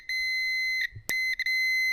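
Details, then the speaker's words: Can-Am Maverick R broken down with no fuel: a Fluke meter set to ohms gives a steady high beep for continuity while checking fuses, all of which test good. "What I was going to do is check the ohms. And when we get continuity,"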